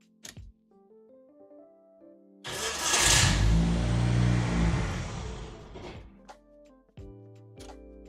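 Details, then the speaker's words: Ford engine turbo conversion, nearly complete: engine catches and revs a few seconds then dies completely with no idle; runs only with throttle, still a bit smoky, cause of zero idle unknown, spark plugs suspected; music playing behind. "there you go it dies like immediately after you get it to"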